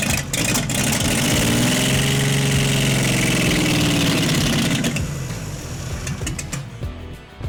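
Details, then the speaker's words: 1952 International L130 engine revived after years sitting, no exhaust fitted, starter fluid used; unmuffled roar flat out for about four seconds then quits, because the throttle was stuck wide open. "And that's what was happening before. The throttle was just stuck open."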